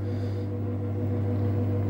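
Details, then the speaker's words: Samsung Digital Inverter Eco Bubble washer in Spin Only mode, drum speeding up: steady low hum at an even pitch, no knocking or scraping; normal spin cycle. "Now machine is running, spinning, increasing RPM."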